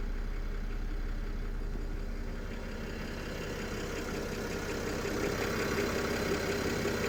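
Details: BMW N53B30 cold start at about 700 rpm idle: uneven metallic clatter near three a second, source unclear, maybe oil pan or exhaust manifold. Oil pump replaced and rod bearings checked good; noise drops with slight revs and nearly disappears after 8-10 minutes warm.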